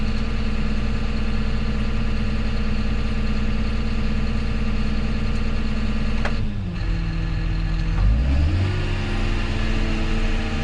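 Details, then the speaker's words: 6210R tractor diesel during pressure checks at 1800 rpm: the steady drone sags in pitch midway, then slowly climbs back. It sounds flat and underpowered with no smoke, and the cause is not yet found. "things sound weird here it sounds like it doesn't have the power no like it's nothing yeah no smoke there"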